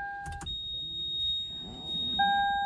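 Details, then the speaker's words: 2008 Toyota Camry Hybrid, ignition on: constant steady high chime with traction, ABS, brake and check VSC lights, rock-hard pedal, codes C1252 and C1256; failed ABS accumulator not holding pressure, fix is replacing the ABS module assembly. "ringing sound just stays on we start a real quick so we've got the traction control light on the ABS light and the brake light on check VSC system"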